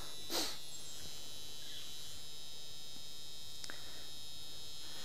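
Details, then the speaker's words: 1973 Mercury Marquis Brougham with 460 V8, door open, key in: thin steady key-warning buzzer with faint clicks from the automatic seat-back release relay; all working normally. "got the wonderful key buzzer you can hear the seat back release that's automatic when you open the door"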